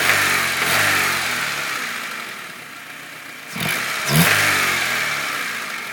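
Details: 1997 Honda Civic EX blipped from idle twice, with a tapping knock that rises and falls with engine speed; cause unknown.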